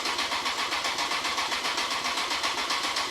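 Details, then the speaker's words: Rebuilt Honda CBR954 Fireblade, first start after six-month rebuild with fuel system drained: starter cranks evenly at roughly 220 rpm but never catches; pump heard priming, owner suspects no fuel getting through, no spark suspected earlier. "definitely no fuel getting to the no fuel getting somewhere what is going on"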